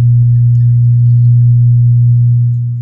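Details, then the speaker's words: LD Curve 5 active speaker with volume at maximum and no input: loud steady low mains hum at constant pitch that disappears when touched, pointing to a ground loop; dirty, rusted volume pots suspected of letting hum through. "kapagka kinakapa natin dito naun na haming so kapagka bibitawan natin ayun"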